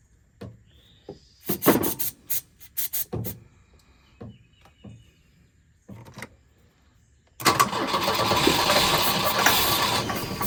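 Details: Volvo 242 abandoned in the woods: several sputtering cranks and catches, then ragged hunting idle that stumbles, not knocking; needs carburetor work and fuel, rough running.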